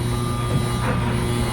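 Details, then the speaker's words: Samsung dryer on normal mode, eco off, with a heavy load of towels fresh from the washer: a steady low electrical buzz as the motor and fan strain under the overloaded drum. "We'll go ahead and close the door, turn the system on. We're in normal mode, and we'll get rid of the eco and press play. And you can hear a buzzing sound."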